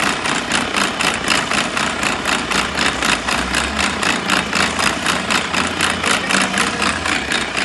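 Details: Mercedes-Benz Arocs truck, steady heavy diesel idle with a rhythmic hissy rattle about four times a second on top; abnormal noise from the gearbox, cause unknown.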